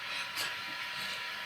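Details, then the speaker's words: Induction hob cooling fan in a touring motorhome, running in the background: a steady airy hiss, high and even, with no rhythm or change. The owners find it noisy, but it must blow its hot air out. Normal. "Yeah, that noise you can hear in the background is the fan of the induction hob, which we have decided is decidedly noisy, isn't it? yeah. But you have to let it blow its hot air out, so."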